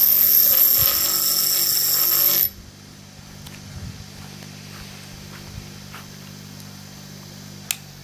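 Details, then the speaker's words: Restored 1960s vintage GMF bench grinder with new grinding wheels and shop-made bushes, after wheel dressing; harsh scraping hiss stops then steady even low hum with almost no vibration, normal smooth running. "it sounds beautiful when it starts up as you'll be able to tell when I am I'm gonna turn it on there's almost no vibration to it it's it's a sapphire seems like a really sweet machine"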